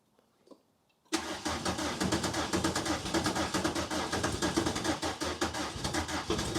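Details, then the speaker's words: MK2 Golf GTI with a freshly rebuilt engine and a flat battery. Sluggish, uneven cranking at roughly two turns a second never catches; slow cranking from a flat battery. "get some gas batter is flat"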